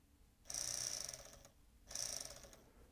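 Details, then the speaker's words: Sony MiniDisc deck (MDS-JE510/JE320) 12 V sled motor fed about 8 V from bench supply: two bursts of thin high whirring, motor spins but doesn't engage the worm gear; suspected slipped cog or worn nylon gear. "let's drop that down to about eight it just looks as though it's not engaging with this worm gear"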